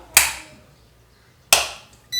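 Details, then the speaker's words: Induction cooktop (chulha) at power-on: two sharp clicks then a short steady high beep; the unit wakes but none of the buttons work; a simple small fault. "Tips किया आवाज तो आती है लेकिन यहां पर कोई भी बटन काम नहीं करते हैं ग्रह आवाज तो आ रही है लेकिन कोई भी बटन यहां पर काम नहीं करते हैं"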